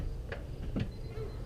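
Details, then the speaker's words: Car with an intermittent no-start, no-crank fault after humid weather: a single sharp click on the key and no cranking, with sparks seen at the battery cable connector on the clamp; a poor battery cable connection is starving the starter. "he noticed there is a spark on the wires themselves where there's that connector to the clamp so I give it a shot here and I hear it loud click"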